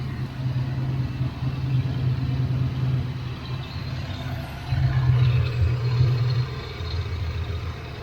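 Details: Fox body Mustang with broken ECT sensor, after repairing burnt plug wire boot, engine warm: steady low hum at a fast, even idle, lifting briefly and never settling; high idle suspected from the ECT sensor or plug, not confirmed.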